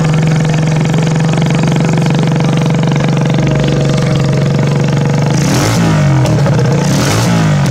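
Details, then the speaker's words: 1988 Yamaha YZ dirt bike fitted with a 200cc four-stroke engine swap, started up after a 7-day build. Strong steady drone holding one pitch, with wavering revs near the end and no knocking or misfire: starts and runs fine. "Y'all can't see it too clear, but I just want to start it up, show you that it runs."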